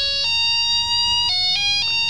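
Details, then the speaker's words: Hourly melody wall clock, melody box tested by joining the two wires from the clock that close like a switch every hour: clear electronic notes stepping up and down in pitch. Melody plays properly. "Dua kabel ini kalau saya hubungkan seharusnya ini berbunyi. Nah, benar"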